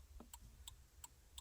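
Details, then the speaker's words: 2001 Jeep Cherokee XJ after replacing the turn signal flasher relay; crisp even ticks about three per second over low hum, blinkers and hazards working again — normal flasher operation. "just like that we got blinkers back flashers man yep that's what it was just that little relay that's all it was"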